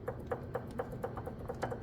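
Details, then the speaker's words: Truck wheel with a brake S-cam rocked by hand during wheel seal work: light, sharp metal knocks about four a second from slight S-cam shaft play; the S-cam will be replaced along with the wheel seal. "you can hear that knocking it's not crazy I mean I could get get away with it but I'm going to have to pull the wheel seal to get to the SC cam"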